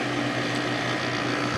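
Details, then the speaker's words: December 1995 Carrier VisionAire 6050 BTU 6 A window A/C, wet after hose clean-out, restarted: steady low hum under fan air and water splashing off the slinger, nothing rattling; the click at plug-in was unrelated (bug light); normal running. "it runs again shooting out the water there certainly nice and happy"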